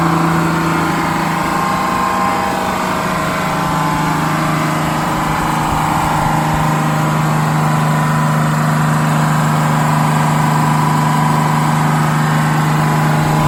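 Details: GM 4104 bus six-cylinder diesel, warm after a test drive, following a transmission swap, new clutch, rear main seal and resealed valve cover gasket. Steady, even idle with a constant low drone, no knocks or misses.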